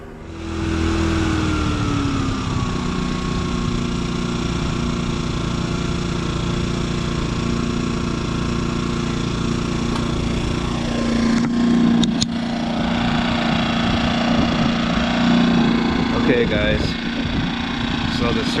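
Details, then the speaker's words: Brand-new Yamaha EF2200iS inverter generator idling in eco mode with the idle screw backed off: note swells and eases as the stepper motor hunts with no positive idle stop. Milder surging than before; turning the idle screw 1.5 turns in fixed it. "i've got it's surging now but not as bad as it was i didn't unscrew it that far so i don't want to go through it all again"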